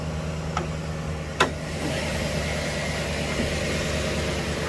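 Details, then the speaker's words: 2013 GMC Sierra V8 idling on Pennzoil Ultra Platinum oil after new power steering lines were fitted: low, steady, calm hum with no tapping or lifter tick; much quieter, sounds healthy. "How much quieter is it with this, the Pennzoil Ultra Platinum in this thing? So much quieter."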